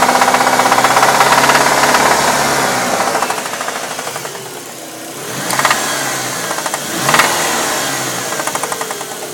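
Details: 1998 Dodge Neon petrol engine with a steady, sharp knock about four times a second that quickens as revs rise; engine knock.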